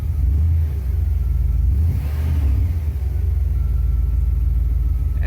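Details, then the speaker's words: 1975 Cadillac Fleetwood V8 at idle, new aftermarket tachometer set to eight-cylinder reading about 800–900 rpm: deep, even rumble with no miss or knock; smooth healthy idle. "I hadn't checked on the eight selection, so hold on. There we go. It's about more accurate. 8 to 900 RPMs."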